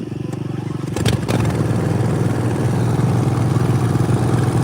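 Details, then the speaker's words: John Deere mower with no spark on one side after a coil fell out: a lumpy, uneven idle thumping about three beats a second that stays choppy when revved. It is misfiring, running on one cylinder. "Rev it up a bit. It does sound kind of like it's on one cylinder. That's weird."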